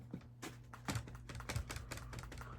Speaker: You hear them rattle. That's because they don't have any tension on them. They're loose and sloppy right now because there's no strings holding them nice and tight.